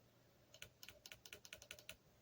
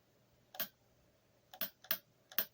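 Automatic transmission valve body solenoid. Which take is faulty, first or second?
first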